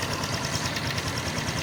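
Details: Honda XRM 125 FI idles steadily with a fast, light ticking knock riding on top, from the left side of the engine; cause undetermined.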